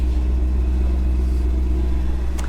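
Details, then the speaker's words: ProCharged auction car (likely the Corvette), automatic, 37,000 miles, with a blown charge pipe, heard from outside. A deep, steady V8 rumble with no ticking, knocking or stumble. Smooth, normal idle. "this thing sounds really good guys"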